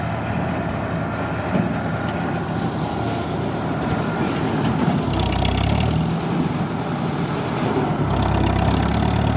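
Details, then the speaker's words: Farmall tractor engine after carburetor rebuild with a kit, started without choke: steady, even beat holding smoothly with no sputter or misfire and a slight lift in speed; sounds healthy, fine tuning still to do. "we'll see if we can fire it up without the choke see what it does fired up ni without the choke"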